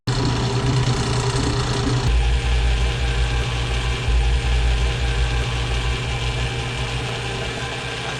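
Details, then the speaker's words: 1950s Atlas lathe running after new directional belt installed: steady hum with faint uneven throb; vibration reduced but remains, pulley shows undulation and vibration stops when belt tension is relieved, pointing to an out-of-round (concentricity) pulley. "the other thing that pulley up there seems to have some [Music] undulation you'll also notice when I relieve the tension on the Belt you can hear the vibration stop this points to it being a concentricity issue with"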